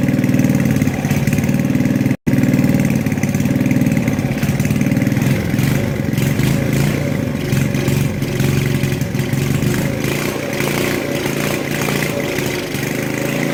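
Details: Tecumseh 4hp engine on an Estate snowblower, just after a carb rebuild with a makeshift governor fix: steady, even running with the governor holding speed, no hunting or stumbling. Normal, healthy running.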